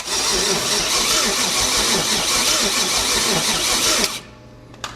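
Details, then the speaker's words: 1969 Chevy 327 V8 with the coil live, plug set by the exhaust manifold to ground it: steady cranking for about four seconds with no firing. No spark was seen, and a bad coil is suspected but not confirmed. "Still no spark. Wonder if our coil's bad."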